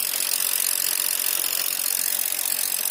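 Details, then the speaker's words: Mazda 2 sedan with a newly fitted imitation, non-original AC compressor: a harsh, rapid ratcheting grind about three rasps a second, mostly high-pitched; the AC cools but the compressor is noisy right after installation. "Dingin cuman bunyi kompresornya."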